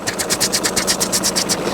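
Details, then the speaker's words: MK6 VW Golf diesel at idle with a broken clutch and flywheel; steady rhythmic metallic clunking, about eight ticks a second from the flywheel area, rising and falling with revs, with occasional hard gear engagement and judder; worn dual mass flywheel. "there is like a horrible rhythmic clunking noise coming in this in this area there and that's obviously where the flywheel is"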